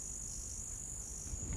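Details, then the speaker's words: Battery charger for a Soviet Kinor 35H (9KSN) 35mm film camera's NiCd battery pack, plug converted to Euro: thin, high, steady cricket-like chirp as charging builds up; intended by design, not a defect. "И что интересно, когда зарядка набирает свою силу, устройство начинает вот так вот петь, то есть такой звук сверчка."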